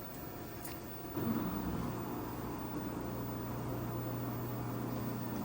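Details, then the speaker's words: Panasonic washing machine after replacing the fan underneath to fix the H29 alarm, which used to trigger after 5 minutes; the motor settles into a steady low hum through a 15-minute speed wash with no alarm. "tuloy-tuloy na nag-speed ano siya speed wash 15 minutes. Hindi naman nag-alarm."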